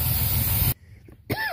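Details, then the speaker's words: 1994 GMC Jimmy 4x4, 4.3 V6 CPI, 191,000 miles, just revived after sitting six years: steady rough hiss over the running engine, then cuts out. Vacuum leak from a busted four-wheel-drive vacuum hose under the truck; owner suspects it causes the misfire. "That might be why it's misfiring. Get a vacuum leak I gotta sort out real quick."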